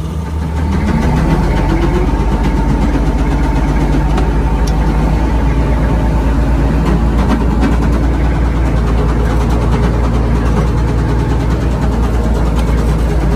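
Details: Old Komatsu WA180 wheel loader diesel settles into a heavy, low, steady clatter at idle after dying under load; owner calls it rod knock.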